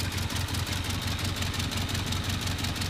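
Cold idle chugs with a loping, uneven beat around three per second; one cylinder is dead, with low compression from worn rings.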